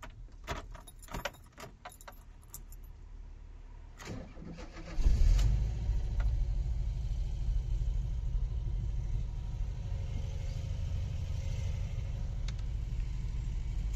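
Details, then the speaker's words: VW T25 camper bought as non-runner: cranks, fires, steady even idle with no tapping after valve adjustment screws adjusted; carburetor blown clean, inline filter added. "and yeah sounds sounds pretty good uh no noise at all ran really well"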